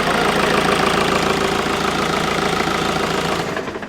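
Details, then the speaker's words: Mark V VW Golf GT TDI diesel idling after turbo work, after a slight rev: fast rhythmic puffing tick, three to four per second, fading at shutdown, from down the back near the turbo; owner suspects a missing bolt or the S-bend EGR pipe. "Coming from down the back, like down where the turbo is. Oh, I know what it is."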